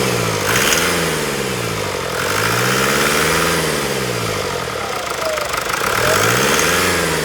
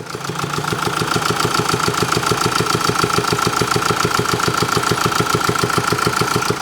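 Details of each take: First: Diesel idling after repair of an engine noise that raised no warning light: even, regular beat of about three pulses a second with no tapping from the top end; the noise is judged gone. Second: Diesel engine at idle with fast, even ticking about three a second over the running note; worn cam followers and damaged exhaust camshaft lobe, no warning light, engine near failure.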